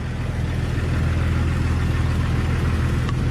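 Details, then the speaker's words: Tired Jeep TJ 4.0 L with three-speed automatic and straight 50-weight oil, cold idle around 50°F: steady idle with fast, even ticking puff from an exhaust leak; knock not yet audible while oil is cold, leak said to go away when hot. "what you hear right now is just the uh exhaust leak [Music] you can't hear the engine knocking because it's like 50 some degrees here and the oil is cold"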